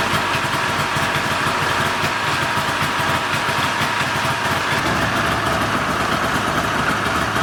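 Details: Polaris 488 two-stroke snowmobile engine after being freed and having its carbs cleaned, including a previously missed jet: steady, even idle with no stumbling or surging, now sounding good.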